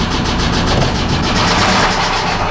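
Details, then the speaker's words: 2009 Subaru Forester bought with engine knock, started in cold garage: even, rapid knocking about eight per second over idle; dropping into gear reduces noise but knock remains. "i drop it down in gear it it takes away some of the noise but you can hear it knocking"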